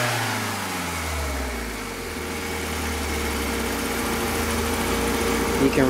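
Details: 1991 BMW E30 318is, M42 1.8 L DOHC four-cylinder on 93 octane, revved in neutral, heard from the exhaust and engine bay: the tone climbs, then stutters near 5,000 rpm as if hitting a rev limiter.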